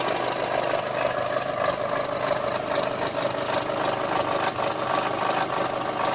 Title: Golf 5 Gti tfsi strange noise at idle